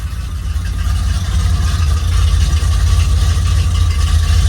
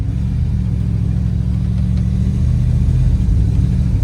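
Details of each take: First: TBI-injected dually pace truck engine just after fuel pump replacement: a deep, steady V8 idle with an even low rumble and no stumble or miss, much better than before. The owner still thinks it needs retiming. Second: Dually truck with TBI, driving at about quarter throttle: steady low drone that breaks up and stumbles unevenly and won't pull; owner planned to adjust the timing.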